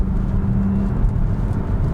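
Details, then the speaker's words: Hyundai Ioniq 6 rear-wheel-drive single motor, driving in comfort mode, heard in cabin: deep steady road rumble with only a faint thin motor whine behind it; quiet, normal electric drive. "Yeah, you hear the motor a bit, but not a lot. It's really a comfortable, nice, quiet car."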